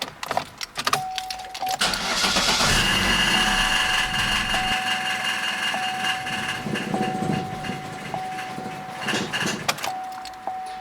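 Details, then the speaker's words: 2011–2016 Chevrolet Cruze 1.8L with fuel pump fuse 67 pulled to relieve fuel pressure before intake manifold replacement: starter whirs, the engine catches, idles roughly a few seconds, then stalls from fuel starvation. "it's gonna stall out pretty quick and then crank it one more time just to get rid of all the fuel pressure and that's it"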